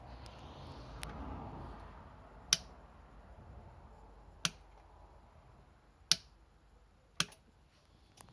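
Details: Yamaha XMAX 125 (2010) scooter with new battery, won't start: single sharp click every second or two, no cranking; cause found to be a bad starter relay.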